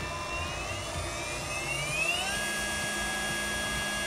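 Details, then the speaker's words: CNC 3018 Pro 500W spindle motor after replacing bearings with SKF units, bench test at maximum speed: smooth high-pitched whine rising to steady top speed, almost no noise versus old bearings. "on the maximum and right now it is not making almost any noise a point of comparison to the previous bearings"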